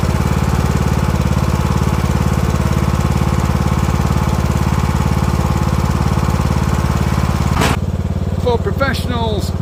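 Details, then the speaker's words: Yardworks ride-on mower with Briggs & Stratton engine and failed decompression valve, started at top dead center with half throttle and intake covered: small single chugs steadily at fast idle, then a sharp crack backfire. "actually I've been doing that for the last two years and that's the first time I filmed it and the first time it backfired"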